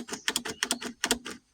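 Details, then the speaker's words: Kubota B26 tractor that won't start, key turned: sharp dry clicks in uneven clusters, the shutoff solenoid clicking on and off, with no starter whir or cranking; no-start. "You can hear the uh shutoff solenoid clicking on and off. Nothing."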